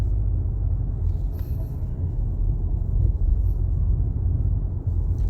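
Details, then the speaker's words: 2023 Nissan X-Trail T33 road test after replacing the propeller shaft assembly (faulty front cross joint): steady low road rumble from inside, the earlier low-speed knocking and body vibration gone. "So niiro-road test na natin 'tong ating X-Trail na pinalitan ng uh propeller shop. So wala na 'yung koocking noise. So wala na rin yung vibration niya."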